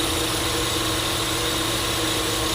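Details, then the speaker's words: GMC V8 idling unevenly, low exhaust beat stumbling and lumpy: heavy steady misfire, to be checked with a Launch scanner. "तो इसमें बहुत ज्यादा miss firing हो रही हो तो"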